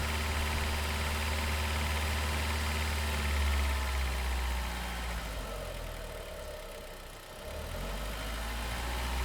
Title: AUDI TT 8N3 - knocking noise around belt area between 2000-3000rpm